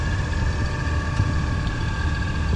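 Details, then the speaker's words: Audi B5 S4 after a 2-step launch: low idle stumbling and wavering unevenly, misfire-like; a bad coil was first suspected, but scanning with VCDS found the MAP/boost sensor failed during the launch. "it does kind of sound like it's misfiring so possibly a bad coil"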